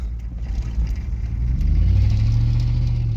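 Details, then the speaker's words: 1999 Chevy Silverado 1500 Z71 with a 5.3 V8 and 4L60 transmission, driving: a loud, rough rumble that swells under acceleration with a raspy, uneven blat. Exhaust leak from the busted-up exhaust. "This thing sounds like crap. That exhaust all busted up, but feels like a typical 5.3."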